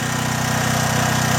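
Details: John Deere/Briggs and Stratton generator, after a gummed carburetor was cleaned: running unloaded with a steady, even drone and regular low pulse, no misses or surging; runs smoothly.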